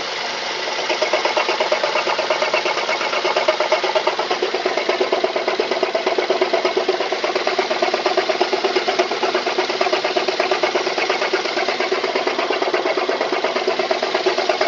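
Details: Mazda 3 petrol engine idling with a steady, regular knock of about three beats a second. Engine knocking at idle, cause unknown to the owner.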